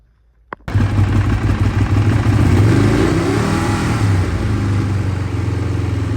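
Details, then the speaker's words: Ducati 848 at fixed throttle: engine holds fast idle but revs flick up and down, worsening the more it's ridden, with overfueling and wet plug; faulty throttle position sensor, replaced by the shop. "holding the throttle at a certain RPM, and then it is just flicking up and down ever so slightly. It does actually get worse and worse the more you ride it, as you can clearly see here, which makes it an absolute pig to ride."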